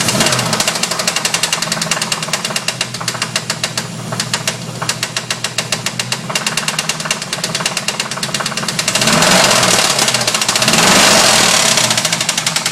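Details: 1992 Formula 350: sharp, fairly regular knocks, about 214 per minute, over the running engine, louder as revs rise; rod knock suspected, not confirmed.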